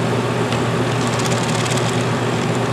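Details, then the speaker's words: Coachmen Wyoming 5th-wheel rear rooftop A/C after taping off the intake recirculation, for excess condensation and weak flow: steady, even rush of air over a low constant hum, no rattles or surging; strong flow from vents throughout, running normally. "good flow but not want to rip out of my hands and of course now with these closed-off I actually have earplugs coming out of my vents"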